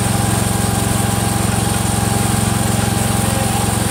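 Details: Freshly rebuilt Kohler single-cylinder engine in a Cub Cadet 102, running evenly with a light regular tick about four times a second from the front pulley coming apart; the rod is not loose.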